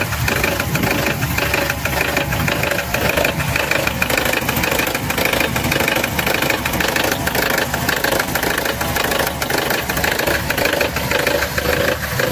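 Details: Engine, mechanic listening close up: uneven bubbling gurgle pulsing about once a second over the idle. The noise is not from the valve area up top but from lower down. Suspected air-fuel mixture or electrical problem, not confirmed.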